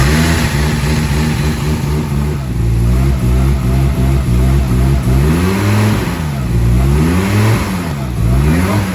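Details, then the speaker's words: Car fitted with an Audi 20-valve engine, first start in three years: deep even note, revs swinging up and down cleanly without knocks or misses; healthy normal running. "it sounds healthy very interesting it sounds great"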